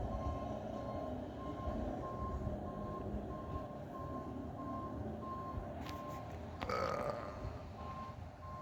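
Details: Steady mid-pitch reversing beep about four times a second over a low diesel rumble as a railroad track crew's truck backs along the track at Abbeville; normal backup warning.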